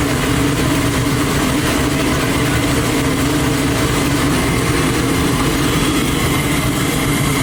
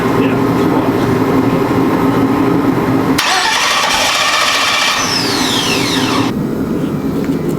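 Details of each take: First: Twin-turbo Chevy Nova on methanol, first start after two months of problems, no coolant running, engine temp about 127: big V8 holds a loud, steady, deep lumpy idle with no knocks or misses; normal idle. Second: Twin-turbo Chevy Nova after weeks of fixes, crank trigger newly set up: starter churns the engine steadily but it never catches or picks up speed; cranking, no start.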